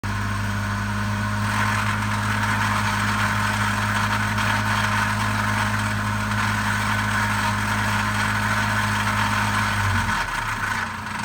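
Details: Steady idle with a faint, loosely regular tapping at about four per second under the engine hum; engine knock suspected at idle, cause unknown.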